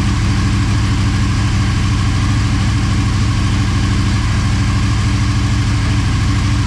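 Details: Motorcycle idling on second start after full teardown and rebuild, coolant and oil topped up: steady, even low beat, no knocks or misses, settles cleanly; normal idle.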